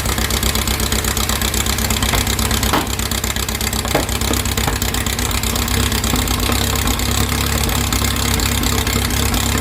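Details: 2332cc "Dust Buggy" bug after carb cleaning, with new oil and filter; spilled oil smoked and the engine missed initially until the mixture screws were set. Steady, fairly even low idle with a firm exhaust beat and no misses: normal idle.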